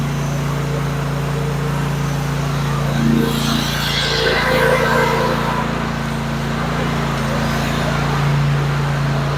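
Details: Kohler 24 HP mower engine just after ignition coil module installation, spark confirmed: steady low drone at constant pitch, no misses, surging or knocking; runs smoothly.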